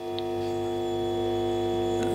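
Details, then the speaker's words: 1959 Ampeg M12 tube amp, powered up after tube replacement and cleaning: loud, steady, buzzy low hum from open unearthed input jacks; goes dead quiet when a jack is plugged in. "some pretty unpleasant um hum happening here everything is just carrying on"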